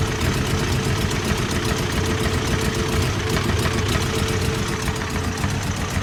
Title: Toyota 22R rough idle